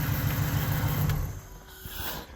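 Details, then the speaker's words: 1994 Chevrolet Impala SS, not started for at least 5 years, after fresh gasoline and a hard start, idling while it warms up; low, even rumble that eases slightly partway, no knocks or rough beats: normal idle. "we got this thing running. Very nice. So now we drive it on the trailer once it warms up."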